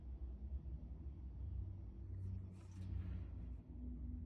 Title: Steam convector making noise.